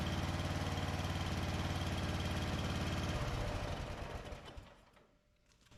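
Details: 2004 Craftsman 30-inch mid-engine riding mower built by Murray, cold start after carburetor adjustment: single-cylinder thump at a steady fast pace, even and regular, then fades out at shutdown; normal idle.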